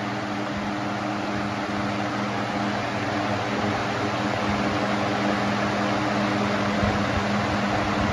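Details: Box fan during a shaded-pole versus PSC capacitor motor comparison; the clip follows the start of the PSC motor test, which is more powerful. Steady, even hum with smooth airflow and no rattles or wavering speed, so the motor runs normally.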